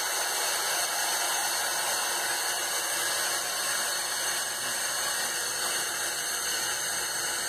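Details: Harbor Freight Central Pneumatic 95275 3-gallon oilless compressor (100 psi max), bought non-working and repaired, after on/off switch rewiring: steady hissing motor-and-pump roar, even level, no knocks or stutters; normal running.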